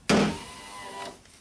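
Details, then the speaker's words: Non-working power window: a sharp hammer tap, then the motor whirs steadily for about a second before stopping, showing the window regulator is bad (tap test). "If we hit this and it starts working, we know that that's our problem. We didn't have to do any other troubleshooting."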